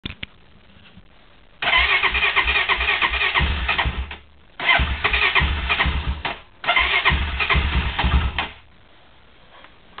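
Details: Honda quad on a cold start: three long cranking bursts of about two seconds each, starter churning and engine nearly catching but never running on its own; cranks but won't start.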